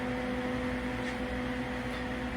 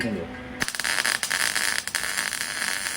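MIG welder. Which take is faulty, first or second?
second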